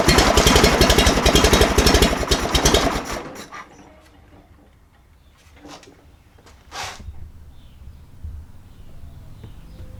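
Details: John Deere 318 garden tractor with Onan P218G engine cranks fast but won't start. Battery tested good, spark present and fuel pump working; the suspected cause is a carburetor needle valve stuck shut, so fuel starvation.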